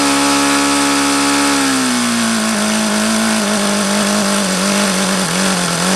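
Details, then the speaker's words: Used HP VT 21 rotary-valve four-stroke model engine after a plug change: buzzy high idle sags then hangs unevenly, won't idle below about 4,500 rpm; still rich on the low end despite leaning the low-speed needle. "everything indicates that it's still a rich on the low-end"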